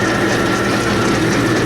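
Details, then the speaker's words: Lathe on a new endless belt, 10 thousandths pass (20 overall) on hardened high-chrome steel arbor stock, no cutting oil yet: loud steady motor hum pulling down under the cut, no belt slap or chirp; the old belt would have slipped here. "Before the old belt would slip, right about now it would jump off. 10 thousandths aside, that's 20 thousandths overall. Still getting nice curly chips off there. It's cutting well."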